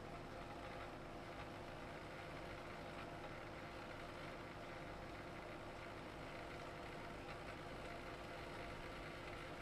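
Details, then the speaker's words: PC AIO liquid cooler pump; a quiet, constant burbling drone like a fish tank pump, matching the customer's complaint of a noisy pump. "I can hear the pump but I don't think I can feel the fluid yes certainly is sounds like a fish tank pump"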